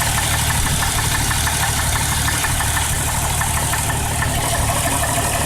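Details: 1998 Jeep Cherokee 4.0 at idle: a loud drone with a deep, somewhat uneven knock about three times per second; possible rod knock, not confirmed.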